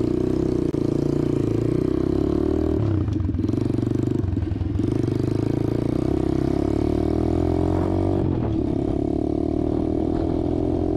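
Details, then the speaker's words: Apollo DBX-18 dirt bike after replacing shredded transmission main and counter shaft gears and case, cylinder and head gaskets: clean single-cylinder note rising and falling smoothly through the gears, earlier rattle gone, shifts better; normal running. "Actually shifts better too. Alright guys, as you can see, the Apollo's back up and running. Good to go."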